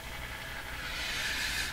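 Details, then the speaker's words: Canadian Westinghouse Model 577 radio after low B+ fix and tuning-capacitor work: only steady airy hiss, no station or tone; local oscillator not running, radio hearing only noise around 455 kHz. "now what's the radio hearing if there's no local oscillator it's hearing signals around 455 I believe that that will still travel through the radio so there's some noise there's noise everywhere"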